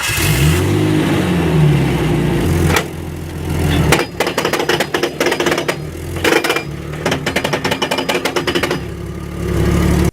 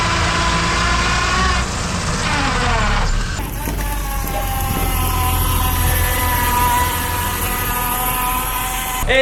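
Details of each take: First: Manual gearbox with worn or slightly stripped gear teeth: a continuous whining tone that climbs and falls with speed, followed by rapid ticking. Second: Manual transmission engaging reverse, car backing up: gear whine climbing in pitch then steady; normal noise from the straight-cut reverse gear, nothing wrong.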